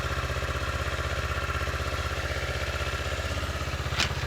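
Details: Motorcycle started in neutral during starter solenoid testing: a steady, even idle at about four beats a second with no misses or knocks and one brief click near the end; it starts and runs normally.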